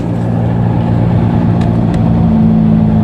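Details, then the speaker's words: Toyota Etios driven on a level road: a low steady humming drone under road noise at highway speeds, seemingly from the front right, from a worn wheel bearing. "ഹൈവേയിലേക്ക് ഓടിക്കുന്ന സമയത്ത് നല്ല മൂളൽ sound ഉണ്ട്, humming noise ഉണ്ട്. വേറെ wheel ബെയറിങ്ങിൻ്റെ ആണ് സാധനം."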